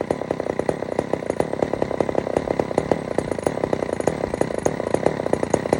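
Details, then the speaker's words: Old Sears Explorer II two-stroke chainsaw, choke off: buzzing with uneven stuttering pops instead of a clean steady note; runs rough, carburetor mixture badly set and needs adjusting. "is not normal at all I got to definitely adjust this really really really good"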